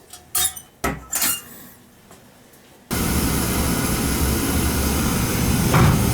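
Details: Oil-fired pancake boiler after a service, following an oil smell and earlier rough spitting: a few metal clanks, then an abrupt steady roar as the burner lights and holds an even flame; normal firing.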